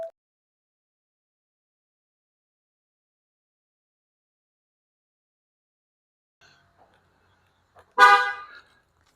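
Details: 2022 Ford Expedition after replacing the rear hatch antenna/sensor module DS7T-15K603-AA: a single short horn chirp after silence confirms locking; keyless locking works normally.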